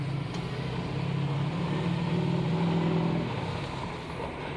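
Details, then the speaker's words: Diesel truck after new charge air cooler (CAC) pipes installed, previously blowing off: steady rumble with faint turbo whistle rising and falling, no hiss of escaping boost; runs normally, full-throttle test still pending. "sounds a little bit better. But the true test is to get down there, back on that straight stretch, open it up, see what it's going to do."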